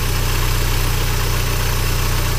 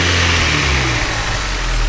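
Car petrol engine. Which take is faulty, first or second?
second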